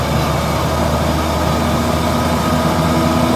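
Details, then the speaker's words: Same car after putting wooden sawdust into the rear axle differential, coasting off throttle: steady droning whine over road noise, unchanged or maybe louder, plus a new rustle; worn differential gears still whine on overrun. "на сброс всё равно так же смотрите А мне кажется он ещё сильнее шуметь стал да"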